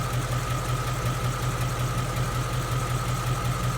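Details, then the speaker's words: 2016 Mustang GT 5.0 Coyote V8 with about 10,000 miles, warmed up, heard from the other fender: soft, even idle pulse with light normal valvetrain clatter and no tick. Normal idle. "All I hear is just valve train noises. But out of the 3 Coyote motors that I've owned from 12 to 16, the 16 has been the most quietest engine that I've owned and that I've heard."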